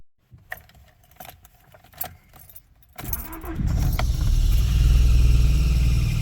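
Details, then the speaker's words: Honda Prelude: keys rattle, then engine catches into a steady low idle with no misses or knocks; starts and drives, but shakes when put in gear. "yeah she runs she drives"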